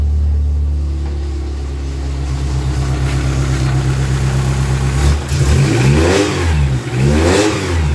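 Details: Dodge Neon stock car engine that cranked but wouldn't start, running again after a shorted replacement sensor was swapped: catches, settles into steady idle, clean free revs with no misfire or stumble.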